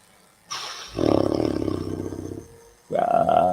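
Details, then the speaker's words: Computer graphics card fan: a loud, rough, rasping drone rises and falls like a saw. The fan bearing has failed and is grinding. "my computer's graphics card is bearing has gone so you'll hear what sounds like it's saw what I hear is money going down the drain"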